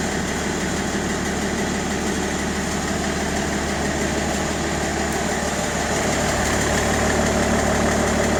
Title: 530d e60 M57n knocking noise solution?